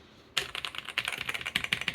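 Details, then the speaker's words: Toshiba T1200 laptop salvaged from a pile of parts machines: crisp, even clicks at a quick typing pace, every key returning cleanly with no sticking or rattle; the keyboard works normally. "Keyboard works well. Sounds good. So, we have a functional keyboard with that one."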